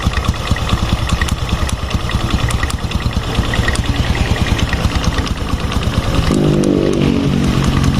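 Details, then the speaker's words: Honda Revo fuel-injected motorcycle at idle, heard at the right-side clutch area: a steady tok-tok knock about three per second over a lumpy idle. The fault is traced to the centrifugal clutch shoes, with the primary and secondary sides not moving. "tapi suaranya ada tuk koclek koclek koclek nah ini berarti masalahnya ada di bagian kampas ganda ya"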